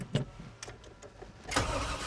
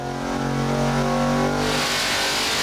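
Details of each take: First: 1991 GMC Suburban off-road build, stalled on trail: short uneven cranking bursts while pumping the pedal, never catches; crank no-start because it ran out of fuel. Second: 1991 GMC Suburban's 383 stroker small-block Chevy, 490 hp and 492 lb-ft: deep V8 bark climbing freely through the revs and dropping back cleanly with no knocks or misses; strong, healthy normal revving.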